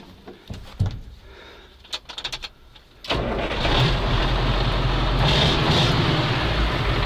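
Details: Homemade turbo V8 machine after replacing its failed pump and installing a cylinder; some clunks, then the V8 fires and holds a steady, even idle without stumbling; engine running fine.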